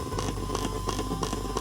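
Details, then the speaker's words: Earphones in a PC front-panel jack while a phone charges from a front USB port, near full charge: steady hum with a buzzy tick about three times a second; interference from regulated charging current, pattern changing with the phone screen on or off. "자 충전 되던 동안의 잡음 때문에 좀 시끄럽긴 하지만"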